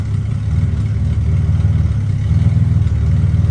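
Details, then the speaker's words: HZ Holden Kingswood wagon after reconditioned carburettor install, heard at the tailpipe: uneven, lumpy, stumbling exhaust note, rough running much as before; owner suspects fuel system, points or leads, mixture screw about 3.5 turns out. "As you can see, it's almost like the same as it was before, so I'm going to have to investigate it. Maybe it's fuel related, maybe it's just whatever, but this is what it sounds like at the back."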